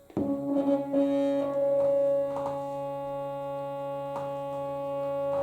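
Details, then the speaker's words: Stepper motor of a DIY lathe/mill power feed on a 24 V supply with pulse modulator, run on the bench reversing and changing speed; smooth hum stepping in pitch with speed, no knocks, only table vibration; normal stepper hum. "This motor is that silent. When you pick it up, you can't hear it. It's only vibrating on the table. So anybody who's going to mount this, I would mount it on a bit of a cushion, because it's just humming away."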